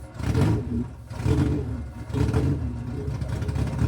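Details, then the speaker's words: Rebuilt Toyota 4AGE in a 1975 Corolla KE35, no exhaust fitted, timing off, won't hold idle: three quick throttle blips rise and fall cleanly over a loud open-manifold bark; revs freely and sounds healthy, just loud. "I mean, she sounds goodish. I mean, sounds loud. Sounds healthy"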